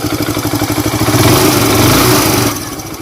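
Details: Hero Super Splendor BS4 single-cylinder idling with steady thump and only faint residual valve tapping, after tappet and timing chain noise repair; much quieter than before.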